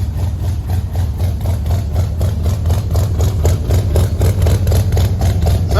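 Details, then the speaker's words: 1974 or 1975 International 150 pickup V8, new fuel filters and a temporary race fuel tank, first start in the cold: deep, even burble at steady idle with no skipped beats after clearing out; now all eight cylinders are firing. "clear it out yeah there we go now all eight are firing"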